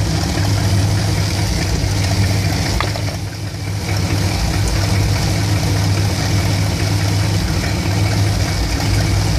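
A deep, steady V8 idle with an uneven, lumpy beat and a brief sag midway; it is rough once warm, cause not pinned down.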